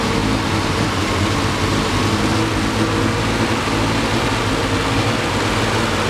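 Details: 1973 Triumph TR6 six-cylinder, first start after 2-year restoration: lumpy, uneven beat under loud steady roar; rough running, owner thinks ignition too far advanced, also hears clicking.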